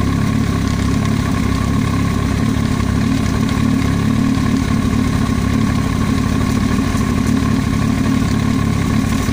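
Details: Yamaha YZF-R1 at busy, even idle: faint rapid tapping under the engine noise, an extraneous noise from the cylinder head; top-end knock, cause unknown.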